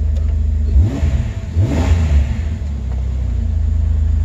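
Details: 2006 Jeep TJ 4.0 after replacing the oil pump drive assembly and camshaft position sensor for a P0016 code, codes erased: smooth rise and fall in pitch on a couple of quick revs, then a steady idle; the engine runs clean.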